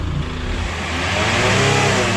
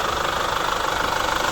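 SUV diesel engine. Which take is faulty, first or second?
second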